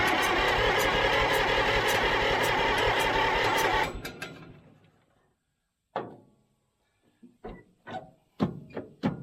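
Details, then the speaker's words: Old Caterpillar D6 dozer diesel, after fuel supply problem found, fires and runs with quick even clatter about four seconds then winds down; normal start once fuel reaches injectors. "we're getting somewhere now yes oh my goodness all right that's amazing once you get a little fuel to something"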